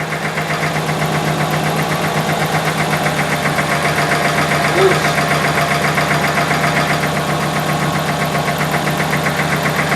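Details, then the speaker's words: Subaru engine idling with the timing cover off: fast, fairly even metallic rattle about four per second; pressing on the tensioner makes it go away, so it is the loose timing tensioner and timing gear. "okay so it's the tensioner and the timing gear"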